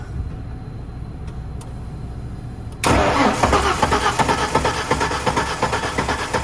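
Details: Ford 4.9L shop truck that died while driving: quiet start, then steady even cranking about three beats per second that never catches; no spark found, no-start caused by broken timing gear.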